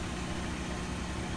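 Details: Chevy Cobalt after fuel pump replacement (pump cracked at stem, factory defect): quiet, even low idle with steady rumble, no stumbles or ticking, fittings dry; engine running smoothly.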